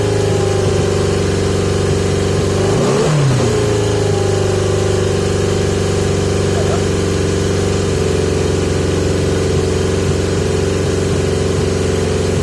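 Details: 1980 Yamaha XJ650 motorcycle with carbs on pod air filters and a revving problem. Engine dips near three seconds, then settles into an uneven hunting idle that won't hold steady. Erratic idle; cause suspected, not confirmed.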